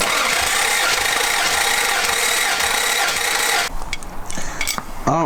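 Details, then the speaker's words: Toyota Celica Supra 5M six, first start after head gasket job with new valves, water pump and alternator: rough, stumbling uneven run for a few seconds then cuts out, a misfire later traced to a loose injector wire. "uh we started the car once and it sounded pretty bad"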